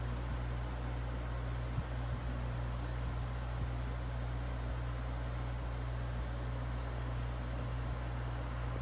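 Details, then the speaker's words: Window air conditioner in a grandmother's house, first run of the season at 72°F outside, on low cool: a deep steady compressor hum under an even fan rush; the hissing already stopped as it builds pressure and is already getting cold; normal running. "Look at that. Already stopped hissing. It's already building pressure."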